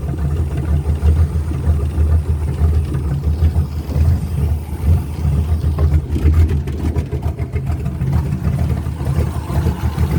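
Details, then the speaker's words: 1966 Toyota Stout truck under rebuild, petrol engine running while the tank is pumped out into a bottle, with all new oil; low steady rumble with gentle revs, no knocks or ticks, quiet as a mouse: normal idle. "to look a little better definitely happy she's quiet as a mouse now that she's got all new oil in her"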